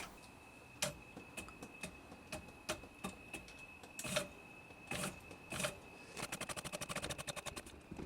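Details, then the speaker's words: Home CNC mill conversion, X-axis brushless motor on test: steady high whine with sharp irregular clicks and ticks from the shaft keys knocking in their keyways while rotating, later fixed. "although you can hear the keys hitting the keyways as it's rotating but i've sorted that out now"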